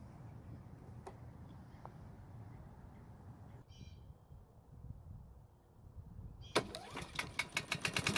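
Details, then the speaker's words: Honda lawnmower, damaged engine, just out of winter storage, wouldn't start on fresh fuel due to stale fuel in carburetor bowl: after bowl flush it catches and runs with rapid even firing pulses, starting normally. "So after a quick flush, it's starting like it's supposed to now, and if it didn't start, then we would have to remove the carburetor and service it."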